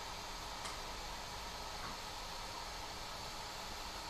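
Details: 3D printer after swapping stock cooling fans for quieter replacements, measured near 70 dB, dropping below 65, versus 88–90 before: soft steady airy hiss, no ticking, rattle or whine; fan runs smoothly.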